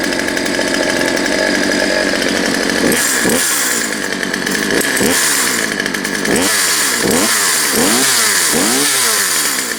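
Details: Poulan Pro 222 38cc chainsaw after correcting misrouted fuel lines and adjusting the push rod: idles steadily, then sharp throttle blips rise cleanly and drop back without stumbling; oiling well; normal running.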